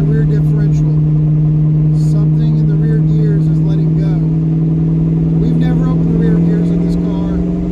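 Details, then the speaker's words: Roughly 42-year-old Mustang driving under throttle: deep steady low drone, not improving with speed; owner suspects rear differential, hoping fluid is adequate, unconfirmed. "do you hear that sounds horrible under throttle we're going to have to fix that soon"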